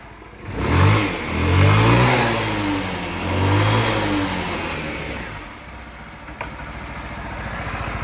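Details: Wolf EX-150 scooter, GY6 157QMJ 150cc four-stroke, after a hard-starting repair: a few smooth revs rise and fall cleanly, then it settles to a steady, even idle with no stumbling; engine runs healthy.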